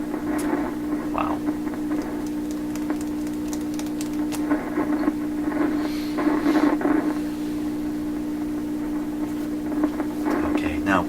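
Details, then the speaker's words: Persistent hum in a 1928 RCA Victor Model 28V radio: constant low drone under scattered crackles and pops; source still unfound after repeated searching, with crackling and low sensitivity also outstanding. "that hum is definitely annoying that's that's a pretty darn distinct"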